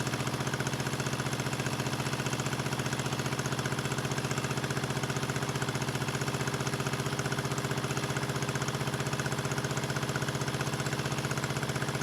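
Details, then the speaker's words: 1974 Honda CB350F four revived after 20+ years sitting: lumpy, uneven idle pulsing about four times a second with missing beats. Only cylinders 2 and 4 fire and 1 and 3 are dead; the owner suspects fuel rather than ignition but doubts his analysis. "they're running on two cylinders okay I'm running it's weird it's weird I'm running on four and two I'm only running on cylinders four and two and one and three are not firing"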